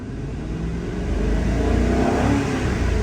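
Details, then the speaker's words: 2003 Mercury Grand Marquis 4.6L V8 after replacing a fuel pump leaking inside the tank (pressure was 14 psi, now 35 to 40 psi): revs smoothly and cleanly, no popping, stumble or hesitation, plenty of power; fixed. "That's what we want to see right there. We're getting upwards of 40 PSI. The engine sounds great. It's got plenty of power now. That's a fix."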